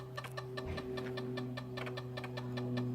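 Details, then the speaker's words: Zenith Z-NoteFlex NTB005 laptop hard drive booting after disk I/O error: steady spin hum with sharp, uneven clicks two or three times a second; drive failing, data error reading drive C. "oh that sounds like crap wow that really sounds like crap"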